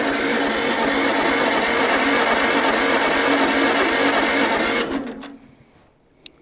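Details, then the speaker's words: 1947 Farmall Cub with fresh oil: even, fast starter cranking about five seconds with no bottom-end knock, engine spins freely but doesn't fire; the oil gauge reads no pressure, possibly a faulty gauge. "Well, I know I got oil there, but I don't know if the gauge ever worked. Maybe it that's a faulty gauge. It's not working."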